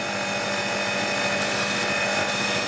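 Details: Annovi Reverberi pressure washer after a jammed valve was freed and greased and the motor and pump oils were changed. It makes a steady, even motor hum and whine with no knocking or surging, holding pressure up to 1000 psi. It runs normally.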